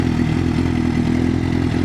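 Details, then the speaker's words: 2006 Honda CBR600RR with 23,700 miles, started on first crank; steady, even four-cylinder idle with no knocks or misses; normal idle, healthy bike. "Yeah, it's a pretty good bike, man. I like it."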